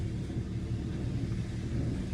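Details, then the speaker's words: Hyundai engine after reviving a dead cylinder, new spark plugs fitted and codes cleared: low even idle rumble with steady firing, no misses or knocks; running smooth but smoky from cleaning fluid. "she already running smooth it's smoky"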